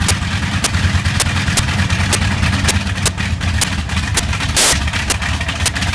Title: Bristol Hercules engine slight misfire